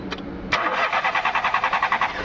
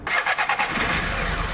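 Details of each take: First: VW Polo petrol engine, fuel line disconnected during cranking: starter spins with even compression pulses about eight per second but never catches, no fuel arriving; crank no start from damaged fuel pump wiring. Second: VW Polo petrol that cranked but wouldn't start, now that its faulty fuel pump wiring has been rejoined and fuel is delivered. A few cranking pulses, then it fires with a slight early misfire and settles into a stable run; starting fault fixed.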